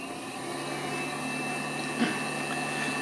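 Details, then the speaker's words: Knockoff Pierburg BMW electric water pump on bench PWM control: constant full-speed whir, fixed high tone; runs only at 100% duty cycle and switches fully off below it, dumb on/off mode. "So, it is a PWM control pump kind of, but it's only got a very dumb mode basically off or on."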